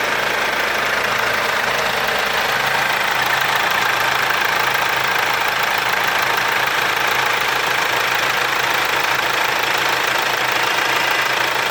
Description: So hört sich der W204 Motor an wenn alles okay ist. Zuvor wurde die Steuerkette gewechselt.